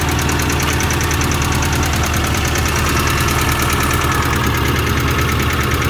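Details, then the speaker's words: 1990 Ford Festiva engine, after an oil flush, new rod bearings and lash adjusters: fast, even ticking keeps time with a steady idle and gets louder with the oil cap off. A top-end tick is suspected; cause unconfirmed. "so definitely sounds like a top end tick to me and it does seem to get louder with the oil cap off to me it sounds like it's right in there"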